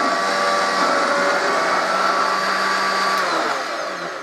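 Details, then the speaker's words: Rebuilt 70-year-old Hoover 119/1224 upright vacuum with its cable newly fitted, running on carpet: steady even hum with smooth high whine, no rattles or scraping, quiet motor cleaning nicely; healthy. "look at that beautiful and what's wrong with that lovely empire lovely quiet motor cleans the carpet nicely what could be better"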